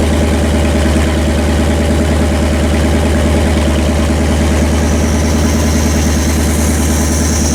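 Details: Rebuilt Pontiac 400 V8 on homemade run stand, break-in after earlier flat-tappet cam and bearing failure: loud steady idle, even firing, no knock or tick; running healthy, only valve cover oil leaks.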